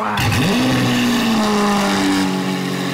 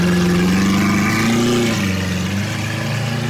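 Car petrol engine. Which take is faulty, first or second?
first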